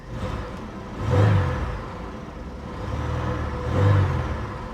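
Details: Mercedes SL500 at a Copart auction, hot day, low on fuel, blower motor not working: two smooth rev-ups rising and falling cleanly with no knocks, misses or rattles; engine sounds healthy.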